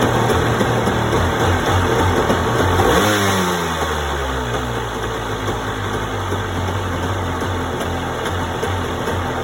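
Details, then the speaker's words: 1992 Yamaha WaveRunner 650 two-stroke, not run for years, old premixed gas: revs up then settles into an uneven, lumpy, wavering idle; owner attributes it to old gas and long storage. Rough running. "so it does start stored pretty well actually that was easy sounds like a little bit weird for now but that's normal it's old gas and it hasn't run for years"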